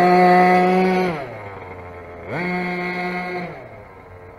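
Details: Rovan 45cc big bore two-stroke on first run, modified exhaust header and flywheel, carburettor settings off; blips to a thin buzzing rev, drops to low idle, revs again, rough and lean; exhaust too small, lean running suspected.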